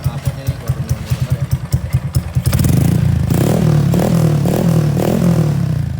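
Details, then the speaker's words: Honda Karisma-based motorcycle (C800 body), bored up to 148 cc with 56 mm piston and custom cam: firm even idle thump, then smooth rise in revs with no ticking or rattle; healthy engine. "Enggak ngeletek ya teman-teman soalnya kan banyak juga yang ngeletek atau ada suara beletak-betak atau gimana nah ini halus enak dipakai juga tadi"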